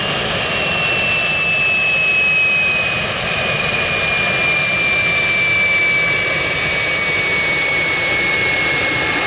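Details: Jet turbine truck, first start-up after winter, after cleaning a dirt-clogged fuel filter and adjusting the fuel pump: steady roar with clean high whine drifting slightly lower, no surging or rattles; normal healthy turbine.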